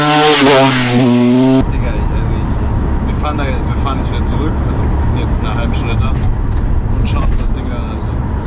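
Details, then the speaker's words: 150 motorcycle bought with 10 operating hours, ridden for hours with a rattling engine (~400 km): a raspy engine under riding load with irregular metallic rattling on top, later found to be a broken piston. "jetzt können wir mal sehen einfügen wie wir damit gefahren sind mit rasselndem Motor"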